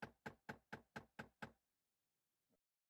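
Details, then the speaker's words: 2015 Jeep Wrangler JK, sharp evenly spaced clicking from behind the dash, failing blend door actuator (one of three: driver, passenger, center); fix is replacement, may need recalibration. "now these blend door actuators you can tell when they're going bad because they make this obnoxious clicking sound it's click click click click click you'll hear it it is just over the top you'll know it when you hear it"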